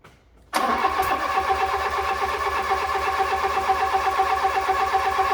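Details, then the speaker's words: Fiat Punto GT that had stopped, restarted after adding fresh fuel (suspected out of fuel or bad fuel): catches straight away and settles into a steady even idle with a smooth low pulse, no misses or knocks; runs healthy. "So we now have a running pretty sweet GT, so pretty pleased with that."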